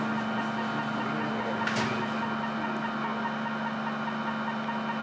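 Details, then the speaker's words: Hydraulic pump on a test stand after a service rotation change, 900 RPM full flow, control already swapped; steady hum with a rough uneven rattle underneath; later found galling on the rocker cam, which was replaced. "While doing a service rotation change we put this pump on the test stand and heard a strange noise. That rattling shouldn't be there let's see what the problem could be."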